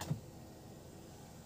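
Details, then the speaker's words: 2004 Toyota Avanza 1.3 G manual, power windows checked front left, rear and right rear: soft click then quiet, even motor hum, no grinding or straining; windows operate normally. "Ini bagian kiri normal, bagian kiri depan ya. Untuk bagian belakang normal. Bagian sisi kanan belakang normal."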